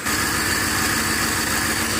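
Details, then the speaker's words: Ford Explorer 4.6 V8 idling after the P0308 cylinder 8 misfire fix: a steady, even pulse with no skipped beats; the faint rattle on top is a catalytic converter failed internally. "okay so we are fixed it is not missing no more and uh sounds pretty good"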